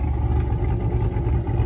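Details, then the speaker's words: 5th-gen Camaro V8 with Texas Speed 224R cam and DOD/AFM delete after broken-piston repair, freshly tuned: deep, lumpy idle with steady clean rhythmic chop, no misses or ticking; idle much better after tune; normal cammed idle. "back from Josh's got the tune all nice and dialed in the car sounds better idle's A lot better"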